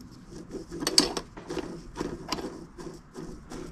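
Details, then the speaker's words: Golf GLI gearbox bearing, rusted with play, turned slowly by hand gives gritty, uneven clicking and rasping, barely turning. "roulement ils ont il ont un peu de jeu ça fait du bruit il tourne même plus enfin il tourne difficilement"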